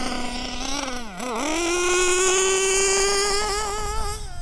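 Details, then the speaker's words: Nitro RC two-stroke engine during high-speed needle tuning, still clearing nitro from the crankcase: high buzzing tone that sags then climbs slowly at speed; still very rich and sluggish on acceleration, with lots of smoke. "Still a bit sluggish on acceleration, but we'll mend that in a minute."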